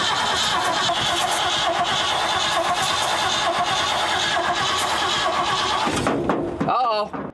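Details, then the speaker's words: Abandoned 1979 Ford F-350 dually, about 45 years old and long sitting, in neutral with the clutch in, given starting fluid: the starter whirs steadily for about six seconds and the engine almost pops but never catches; it cranks but won't start. "Dude, it's almost popping off, but the starter catches."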